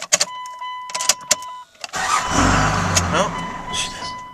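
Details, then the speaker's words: 2000 Dodge Ram 2500 24-valve Cummins turbo diesel just after a fuel filter change: a few clicks, then a rough, uneven clatter that dies. It is starving for fuel and needs more priming of the fuel system or filter. "see how it died there that's because it's not getting enough fuel so you know I'm just pumped it again so priming probably the fuel system again or priming the fuel filter before"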